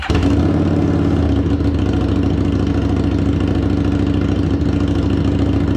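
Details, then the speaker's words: Harley-Davidson Street 750 (XG750) liquid-cooled fuel-injected V-twin, bench engine for a transplant, cylinder head hit in shipping, fuel pump submerged: fires straight up and settles into a steady even idle, clean firing beat, no knocks; it runs. "It runs. Super excited, super happy. This bad boy is going to make for a great transplant into a nice little project that we got coming up. And it actually runs after it got beat up in that shipment."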